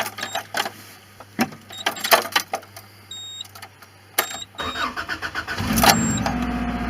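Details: 1993 RHD Subaru Legacy L wagon, 242,659 miles, engine and transmission reportedly rebuilt in 2012: under a second of cranking, then it catches at once and settles to a steady idle over the door chimes; a healthy start.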